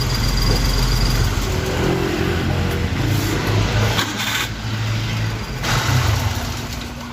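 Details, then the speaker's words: Daihatsu Hijet 1000 three-cylinder after valve clearance adjustment (previously too wide, causing tapping; set about 0.10 intake, 0.15 exhaust): steady even low hum, no top-end tapping; normal running, smooth with good power. "nah namun tadi ini suaranya sudah enak adem kemudian tenaganya dapet karena"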